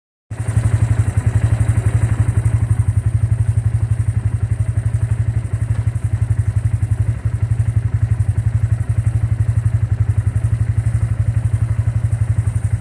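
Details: Bajaj engine after it was opened up. Heavy, very even low thumping at about four beats a second, a clattering knock on the idle instead of a smooth run: abnormal engine noise.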